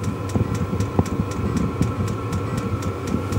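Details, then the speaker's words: Kroak diesel air heater just started, set to 15–16 °C: steady low roar of exhaust, burner and fan with light, even fuel pump ticking several times a second; normal running, reasonably quiet. "voilà donc là il s mis en route on entend l'échappement [Musique] la pompe qui fait un petit bruit mais c'est raisonnable quand même raisonnable je pense que dans la soute on l'entendra pas trop"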